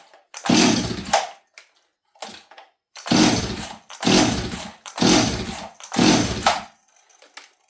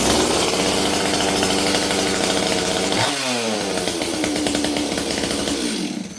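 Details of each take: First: Chainsaw (026) left sitting 3 days and cranked unprimed on full choke after a month of repairs with new parts and a checked tank vent: about one pull per second, five or six hard pulls without catching; the cause of the hard starting is still unknown. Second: Stihl 026 chainsaw rebuilt after a month of not running, restarted warm after sitting 3 days: fires with high buzzing rev then settles to a stable, even idle no longer hunting up and down; normal warm start and idle.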